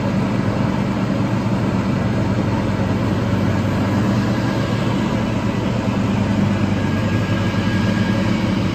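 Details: Toro TimeCutter 5000 zero-turn mower after maintenance with the deck refitted, raking leaves as a test run: deep, steady engine drone with constant blade and deck rumble, no knocks or surging; healthy under load.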